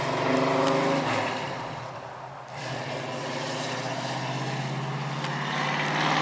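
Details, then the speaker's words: 1969 Ford Mustang coupe V8 after a new dual exhaust install: muffled burble rising with a light rev, then settling to an even idle, no rasp or leak ticking; much quieter than before, healthy exhaust note. "Yeah, you can hear yourself think in the car now. Yeah. Hear it a little better to work on too."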